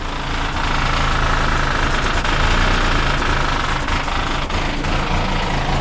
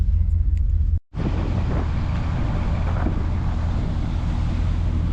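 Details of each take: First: 1973 Ford LTD barn find, V8 idling on a trailer before exhaust replacement: loud, rough, raspy blatty rumble with uneven pulses, terrible-sounding. Worn loud exhaust, about to be replaced with Speedy 10 mufflers. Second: Barn-find 1973 Ford LTD V8 at idle with new Speedy 10 mufflers, heard from the front: deep, even rumble with no ticking or leaks, slightly smoky; the new exhaust sounds healthy.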